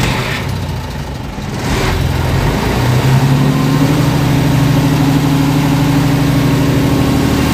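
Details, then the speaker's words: DC-control diesel genset with an actuator replacing the solenoid, driven by a speed controller using a magnetic pickup (MPU) signal; catches, idles slowly for a couple of seconds, then climbs smoothly to steady rated speed; normal start. "Ya, teman-teman, jadi lihat ya, dengar ya tadi ya, hidupnya itu agak lambat dulu ya. Jadi seperti idle dulu karena dia speed control di sini ini butuh sinyal dari MPU ya,"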